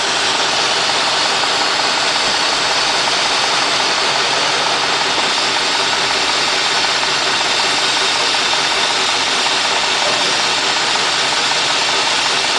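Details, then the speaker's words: Cadillac/GM 4.6 (Deville etc.), warmed up, customer complaint rough running and surging idle: idles under constant loud airy hiss, no clear firing rhythm; rough idle with air hiss, cause suspected, unconfirmed. "You know, I don't know if you hear a little air. This is not that bad. I mean, I hear it's it's running a little, but I'm going to put it in gear. And I can actually hear air more."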